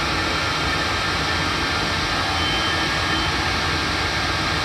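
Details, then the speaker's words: 5 kW diesel air heater installed under the kitchen in a 28 ft motorhome, replacing the LP furnace, on full blast: steady, even whoosh of fan and burner with no pulsing or rattles, not very loud, normal running. "but that's the heater on full blast it's not it's not that loud it heats up quick"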